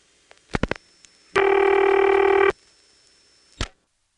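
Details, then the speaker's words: Senderized XY step exchange, Occoquan VA, 1977: quick dial clicks, a steady tone about a second and another click as the register sender translates 911 into the local police department number; normal operation. "here's the register sender turning 911 to a local number for the police department in 1977"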